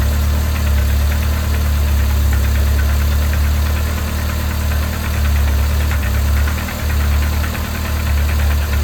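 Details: 1980s Toyota Tercel barn find, carb fed fuel directly by gravity with the fuel pump line disconnected: deep, steady, even idle with slight swaying in speed, no knocks or misses; normal idle.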